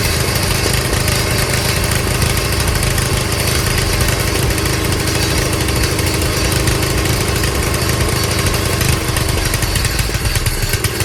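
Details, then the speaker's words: Old Craftsman tiller, small single-cylinder engine, started after a little priming; steady even putter at constant speed, no misses or knocks, runs fine. "Just need to help it out with a little primer is all. So that's pretty cool."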